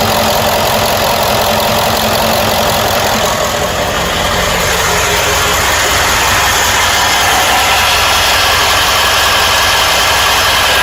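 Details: 1995 Ford E350 7.3 Powerstroke diesel after startup at idle: loose, fairly regular knock about 160 a minute over a hissy clatter; comes and goes randomly, gone when driving, returns at idle and certain rpm; source unclear.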